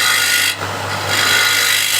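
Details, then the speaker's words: Wood lathe bowl bottom being blended with a scraper: dense, even rasp with no hollow drumming or ringing, indicating the bottom is still solid and not thin. "I can hear it's still solid. I'm not super thin in the bottom."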